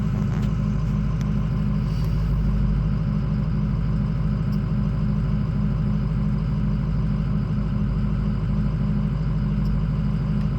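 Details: Ford 6.0 diesel at cold idle while warming up, ICP pressure reading high, no start when hot; heavy rumble with uneven wavering beat about three a second; faulty IPR valve, fixed by OEM IPR replacement.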